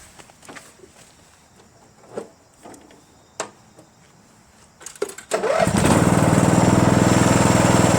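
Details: Homelite 2700 psi power washer engine, just blown out and tested: a few quiet knocks, then a pull-start catches and settles into a steady, even running note with no misses; healthy engine.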